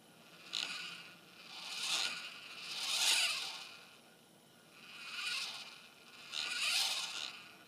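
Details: Losmandy G11 mount, declination drive in motion: a dry, high scraping whir swells and fades about once a second as the DEC motor turns. The owner is unsure whether this is a problem; cause not determined.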